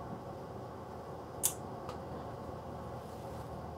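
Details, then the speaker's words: UNI-T UTP3315TFL-11 30V 5A linear power supply under repair, voltage being turned up; quiet hum with two crisp relay clicks about 2.5 seconds apart as it switches transformer taps; normal relay tap switching, fault was a failed LM1458M. "you can hear the relays clicking in so it's switching into the different taps so that part of its working"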